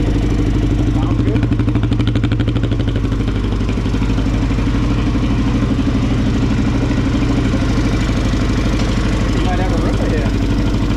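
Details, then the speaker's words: Kawasaki KFX400 single just after an engine case replacement, with gas still leaking from the carburetor: even single-cylinder thump at steady idle with no knocking or ticking; a healthy engine, normal idle. "sounds good. It's a healthy motor."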